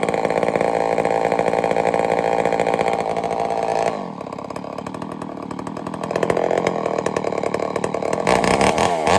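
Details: Homelite Super XL-923 82cc chainsaw, first test fire: it tuned up easily but is a little rich on the low speed; very loud, barking at a crisp high rev, dropping to a steady idle and picking up snappily; runs well.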